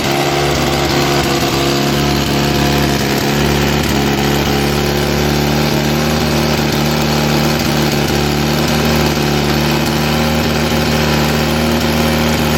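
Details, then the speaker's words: 1961 Austin-Healey Bugeye Sprite, first start after restoration: steady small-engine idle with puffing, raspy exhaust beat from a leak at the exhaust donut joint, which needs tightening; carburetors also need adjusting. "You can hear the exhaust leak from that donut down there. I've got to fix that, tighten that up."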